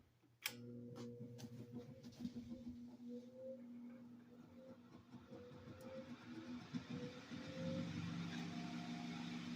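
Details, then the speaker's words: 1950s F.A. Smith Arctic Aire 12-inch one-speed table fan, model P121A, original wiring, sitting on a metal toolbox: starts with a thump then steady low hum and faint rattle as the worn, loose head vibrates; runs well otherwise. "Head kind of vibrates around a little bit and makes it sound like it hums, but it's really not that loud. Sitting on a metal toolbox doesn't help a whole lot."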